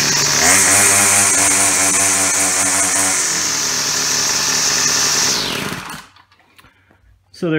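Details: Yard Machine Y2510 two-stroke string trimmer started by drill with hole saw after broken pull-start, primer pumped: steady high buzz holding even revs several seconds then winding down; runs cleanly.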